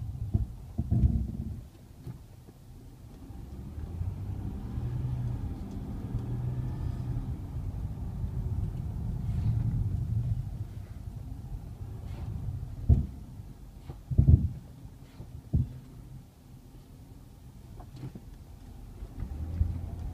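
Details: 2010 Ford Fusion SEL 3.0L V6 AWD: low drawn-out groan with a few dull thumps as the brake pedal is released, does not appear normal; brake groan on release.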